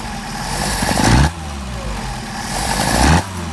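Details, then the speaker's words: Mercedes 190SL Solex carbs, rebuilt elsewhere with sleeved throats and poorly fitting throttle plates, tested on a mule engine: two throttle openings where the note rises then drops abruptly; off-idle hesitation, accelerator pump suspected, poor idle-to-high transition. "a little hesitation there it could be an accelerator pump this opening up just a little bit"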